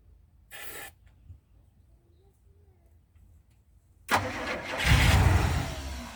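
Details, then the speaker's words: 1985 Winnebago Windsor motorhome, 454 big-block V8 with Turbo 400, 32,700 miles, sitting about 17 years: brief cranking, pause, then catches on starter fluid and fades; cranks but won't keep running, needs fuel. "well she's trying there you go yep that's all she needs is fuel oh like a kitten wanted some gasoline"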